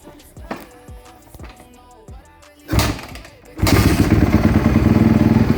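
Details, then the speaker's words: Yamaha YZ250F after top-end rebuild (new piston and rings, valve clearances set) for lost compression found by leak-down test: a few thumps, then the single fires and settles into a loud, quick, steady beat; running properly again. "There we go. She runs, boys."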